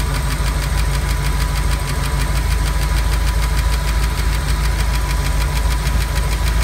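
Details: Ford 5.0 302 V8 in a Monster Miata, started cold the day after overheating on the turnpike: fast steady ticking tracking engine speed, seemingly from under driver-side valve cover; gone once warm but ran a little rough; valve train tick.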